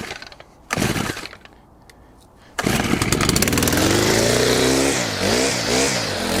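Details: Stihl FS100 4-Mix brushcutter after service (fuel and air filters, plug, valve clearances, throttle cable), on fresh 50:1 fuel with Stihl HP Super oil: a couple of pulls, then it fires and revs freely with the throttle; the drive gear sounds dry. Normal running.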